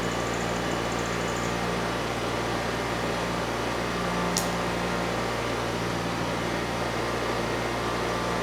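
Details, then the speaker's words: Early-1980s Honda EX5500 generator with a liquid-cooled twin-cylinder engine, restarted after sitting 5 months: a steady, even hum with no knocks, misses or hunting; normal running. "Yeah, it looks like sitting for 5 months had no negative consequence on this machine. It still starts, engine sounds good"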